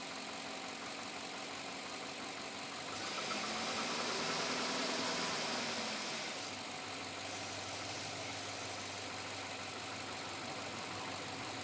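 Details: 2007 Chevrolet Avalanche at about 86,000 miles, steady light knock roughly three per second over the idle; owner asks whether it is engine knock or piston slap, unresolved after four dealer visits.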